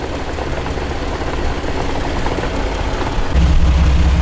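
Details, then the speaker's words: 2006 Jeep Wrangler TJ Rubicon NSG370 6-speed transmission at idle: steady knock about four times a second, growing louder the longer it runs; suspected output shaft bearings rather than gears. "it just sounds like there's something like that hitting in there so i actually think it's bearings i don't think that's gears"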